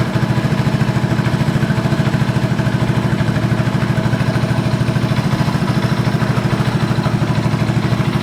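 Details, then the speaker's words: 1986 Honda TRX125 FourTrax ATV, owner-reported no spark: fast, even single-cylinder putter holds high and won't settle; throttle cable is tight with no free play, holding the throttle open. "see how much play is in my throttle up here because Oh, yeah. There's nothing. The throttle's tight."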